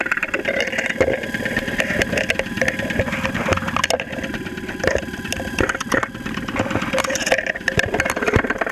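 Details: 2001 Saturn SL2 at idle, stethoscope microphone, after being run very low on oil and sitting two months: sharp uneven knocks and rattles from deep inside the engine; oil pressure 35-40 psi; cause not pinned down.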